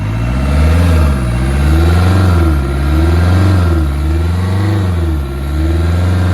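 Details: Hyundai i20 after repair of a 2024 flood hydrolock no-start: the engine catches and runs on all cylinders, revving up then settling into smooth low swells with no misfire or knocking left; normal running.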